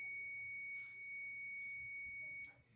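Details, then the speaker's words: Multimeter continuity test on emergency call button terminals B and C: steady high beep while button held, stops on release; switch contacts close properly. "So between the B and the C, on the B, that's the one we want to use. Hear it beep when you push the button?"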